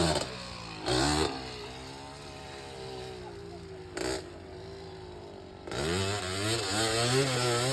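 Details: 1986 Honda ATC250R two-stroke after years sitting, riding laps: revs climb then sag and go flat before recovering; bad bog under throttle, carburettor tuning suspected.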